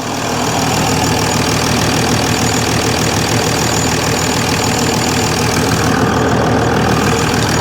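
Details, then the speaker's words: Mercedes ML350 with rebuilt replacement engine, first start after fitting, engine management light on: engine settles into a smooth, even idle with steady note and no knock or misfire, revs sound healthy; a slight squeak from somewhere. "It sounds good. It sounds really good. I can't believe it, basically."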